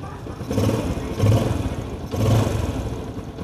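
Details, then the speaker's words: Used 2022 Yamaha Sirius small single, heard close up. A steady low putter rises and falls smoothly with light throttle blips and no ticking or clatter: a smooth, healthy engine. "8123 động cơ êm ru bạn để mình chơi gần gần cho các bạn nghe ha"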